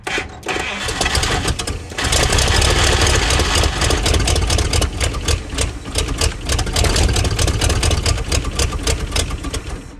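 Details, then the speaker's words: 1956 Chrysler Windsor engine, not run in at least 5 years, with a rebuilt starter: after a long crank it catches into an uneven, lumpy low rumble on hand-poured fuel and almost settles to idle before fading. Rough idle. "She's actually almost idling, which is hilarious."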